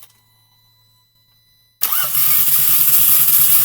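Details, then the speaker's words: Audi A3 after fuel line rework, codes cleared, start attempt: starter spins fast and even, about 3.5 beats a second, with no compression load; no start, plugs 1, 3, 4 fuel-soaked, 2 dry; earlier noise suspected from cam phaser or timing chain. "рутит как будто там компрессии нет ладно интересно будем разбираться дальше"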